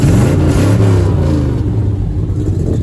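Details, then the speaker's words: Truck with a 454 V8 (owner says TPI, then TBI), two fuel tanks. Deep rumble swells with each throttle blip, pulling strongly with no stumble here. Owner notes an occasional popping misfire elsewhere and suspects it needs a distributor. "heaps of freaking power. It'll burn all four tires off the back of it if you just floor it, which I never do."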